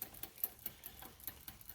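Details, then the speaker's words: Hybrid bike rear derailleur after a new cable: steady light clicking, about five a second, as the chain is caught between cogs after a hesitant upshift; the cage doesn't move far enough, and it is fixed by barrel adjuster tension. "so what's happening is we shifted zoom in here for you we shifted but not enough for the cage to go all the way and make the chain go up"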